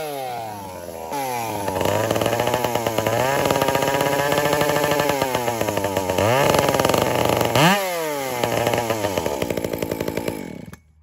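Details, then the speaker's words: Dolmar 7900 chainsaw fitted with an aftermarket pipe, under cut; at part throttle it stutters and fires unevenly as if starving for fuel, then cleans out at full throttle; suspected need for a carb kit or cleaning. "I think the dolmar is needing a carb kit because you can kind of hear how it's starving for fuel on light RPM so either it needs a carb kit or the carb just needs to be cleaned"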